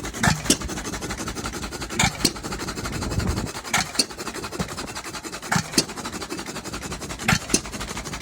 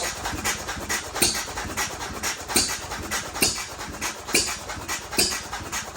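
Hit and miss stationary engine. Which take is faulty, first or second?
first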